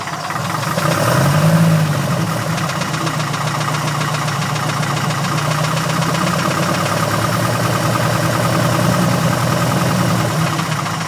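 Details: Porsche 914 air-cooled flat-four idling after a valve adjustment, steady fairly quick knock under the usual valve clatter; owner suspects rod knock.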